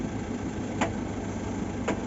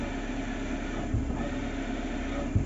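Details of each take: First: Maruti Eeco petrol idling after new clutch release bearing fitted: steady even idle with clutch pressed fully, no bearing noise; before repair even light clutch press gave a growling noise; only two faint light clicks remain. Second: Maruti Suzuki Eeco idling, clutch pedal lightly pressed: steady whirring hum from the gearbox/bellhousing, no noise with pedal released; worn clutch release bearing, needs replacement.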